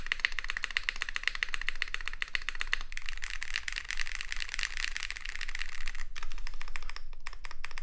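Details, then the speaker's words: Space80 keyboard, polycarbonate plate, mid-layer foam, GMK Apollo keycaps, lubed TX stabilizers; soft dampened irregular key clicks, no sharp clack; muted mechanical keyboard typing, muting possibly due to the foam. "so that's the build okay it sounds pretty muted not the craziest it might be because oh whoops because of um the mid layer foam they used"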